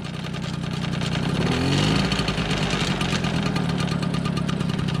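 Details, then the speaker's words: 1987 MBK 51 Magnum two-stroke moped, before renovation: buzzy idle with a quick rev blip settling back evenly, not much noise, no knocks or rattles; rear wheel doesn't turn, owner suspects dead clutch. "elle démarre on n'a pas trop de bruit"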